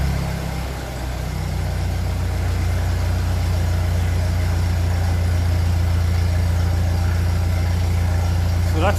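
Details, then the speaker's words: 1957 Ferguson 35 TVO tractor on a cold start after oiling the valve guides: steady, even, low idle of about three beats a second with no top-end tapping; normal idle. "lovely in quiet it did sound like this before with the last Rock shaft and then it slowly start getting loud"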